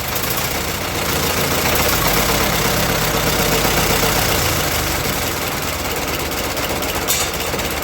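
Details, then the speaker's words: Fordson Major E27N tractor after carburetor and governor adjustment, governor control rod adapted from a 9N: steady low thrum holding even speed amid hiss and clatter, no surging or hunting; governor working well. "All right, so it's back up and running. Our governor is working pretty well."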